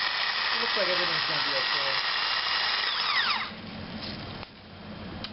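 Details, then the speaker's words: Starter from a 2000 Ford F-150 5.4L, bench-tested after solenoid replacement with an added ground stud after earlier sparking: steady high electric whine, then smooth coast-down with falling pitch; healthy, no grinding. "so I was having some sparking before when it fired up so we're going to test this a few times just make sure we don't have any [Music] problems"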